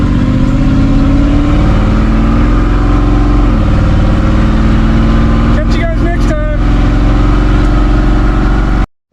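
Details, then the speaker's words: '57 on the rebuilt Holley carburetor (FiTech injection removed), opened up taking off around the block at night: steady, full-throated pull with even firing and no stumble, pop or knock. Normal running under acceleration. "see how she sounds opened up as we take off down around the block here"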